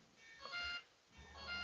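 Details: RC propeller warbird with an LED afterburner setup, ESC disconnected from the radio: two short high beeps about a second apart, repeating. These are speed controller warning beeps because the motor is disconnected.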